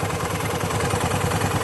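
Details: Automatic scooter (Vario) after CVT/roller area service: even, steady idle without the previous rough rattling; runs smooth and quiet.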